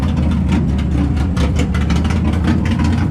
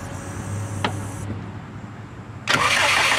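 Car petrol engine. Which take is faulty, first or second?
second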